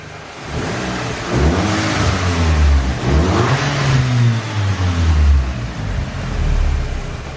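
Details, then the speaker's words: Audi A3 2.0 TFSI salvage car, warm after a road drive, no warning lights or fault codes. Clean, even revs climbing and falling smoothly with no knocks, rattles or whine: healthy engine. "everything's sweet just check the codes no codes at all actually sounds quite beefy i'll give it a little"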